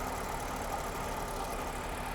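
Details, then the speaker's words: Alpina B7 cold start after an A/C compressor replacement: smooth, steady idle that drops as the engine warms; the new compressor is quiet, with no whine or rattle, unlike the noisy old one. "nice cold start so far no noise it's very good the old one you could hear it almost immediately but this one is quiet so far all right the idle went down and the compressor is still nice and quiet"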